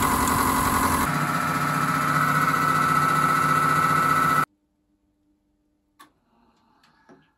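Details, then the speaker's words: Miele Professional WS5073 washing machine after replacing 6202zz motor bearings on the brushless induction motor: smooth, even spin with steady hum and faint high tone, no rumble or grinding; normal spin, bearings sound healthy. "it's definitely working and I'm definitely really pleased with that"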